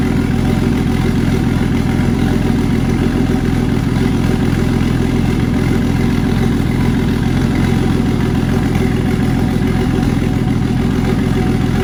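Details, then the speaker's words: Turbo Jeep Comanche 4.0 that spun a main bearing during a burnout, still running: steady idle with a dull low knock pulsing roughly three or four times a second under the exhaust drone, spun main bearing. "a burnout and it spun a main bearing, but it being a Jeep 4.0, it runs still, and I'll still drive it as if it wasn't knocking because I think this motor will hold up."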